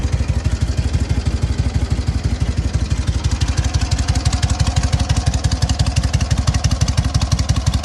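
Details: Freshly fully rebuilt SOKÓŁ 1000 motorcycle, patina exterior, only briefly pre-warmed, started with ignition on and a little throttle: crisp, even exhaust beat about three pulses a second, no knocks or misses; normal revving, healthy engine.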